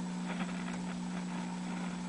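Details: GE 17T11 tube black-and-white TV, found in a snowbank, powered up at reduced voltage (about 80 V through a 150 W bulb): a steady low hum sits constantly under the audio with no whine, likely from the power supply; noticeable mains hum.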